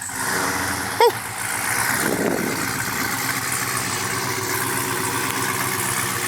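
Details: Brand-new supercharged GM LT4 V8 with CVF pulley kit, swapped into a 1971 Chevy Chevelle convertible with new exhaust, finished build: a deep, even idle burble under crowd noise, no ticks, knocks or misses. Normal, healthy idle.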